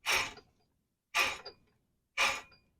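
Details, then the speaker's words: 2009 Chevrolet Cobalt wheel bearing and hub assembly, removed and spun by hand: three short, gritty rasping whirs from the worn bearing, close to locking up; replaced with new hub assembly. "but this is my noisy one you can hear the bearing noise in there hear it"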